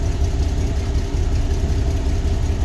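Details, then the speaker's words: 2000 GMC Jimmy at idle: an uneven, lumpy, stumbling misfire that shakes the truck, with a cylinder 2 misfire and multi-cylinder misfire when driven. Owner suspects spark plugs, a slight vacuum leak, injectors or the fuel pump. "Yeah, you can tell it's misfiring bad just the way it's shaking."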